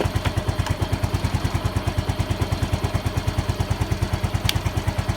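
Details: Yamaha Mio M3 scooter idling after the regulator (kiprok) is reinstalled; the ECU detects charging OK and code 46 clears itself. Steady, even putter with regular firing pulses and no misses, knocks or rattles; normal idle.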